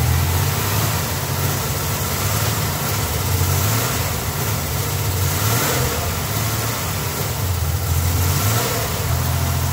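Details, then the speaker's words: 1987 Buick Grand National, sat over 10 years, after a new tank, fuel pump and lines: rough idle that falters and sags each time it is blipped off idle, dying and popping. Owner suspects a vacuum leak, not confirmed. "Off idle. Doesn't like off idle. There's a vacuum leak somewhere. Dies popping. Off idle. She's kind of sick."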